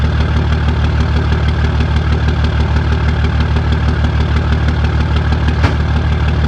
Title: 2004 dodge Cummins rough idle